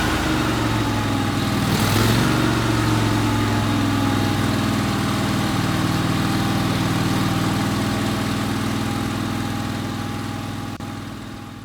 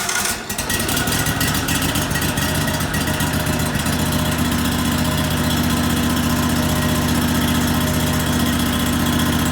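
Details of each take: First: 1998 Craftsman GT tractor, Kohler CV25S 24 hp V-twin, after carburetor cleaning: smooth, regular idle at about four beats a second with no surging or stumbling; running much better; normal idle. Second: 1998 Craftsman GT tractor, Kohler CV25S 24 hp V-twin, after head gasket replacement: sharp start, then steady running with a slightly uneven, hunting pulse; it ran well briefly, then starved for gas; owner suspects dirt in the carburetor jet from tipping the carburetor.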